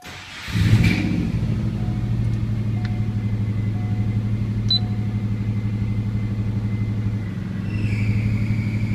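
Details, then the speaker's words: 1999 Subaru Forester with 2002 WRX swap, cold start to low idle: thin faint squeak over the rumble from the throwout bearing, to be replaced when WRX transmission goes in; slight cold knock that fades when warm. "that's the throwout bearing squeaking uh pretty noticeable from here that's gonna that's gonna be changed out when I put the WRX transmission back in it"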